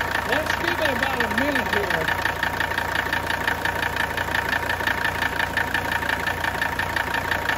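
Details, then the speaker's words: 1981 Mercedes 300TD (OM617 diesel) just acquired, running on diesel purge through the injection system with the tank isolated: deep even knock at idle about three per second, heavier than normal injector nailing; cause unknown. "Can you hear the knock I'm talking about here? It's a little bit deeper kn than you normally hear just for idle again."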